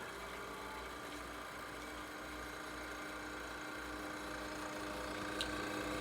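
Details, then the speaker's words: 1932 Westinghouse refrigerator running just after being plugged in and switched on: a soft, even hum with a light fan whir, which the owner guesses is the compressor. It runs smoothly and normally. "You hear the fan spinning. I guess that's the compressor."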